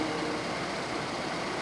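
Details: Ford 3.5L EcoBoost pickup after high pressure fuel pump replacement for P0087/P053F and loss of power under load; codes cleared, started up, fuel rail pressure 217 psi vs 210 desired; even steady idle, no misses, knocks or ticks: normal idle.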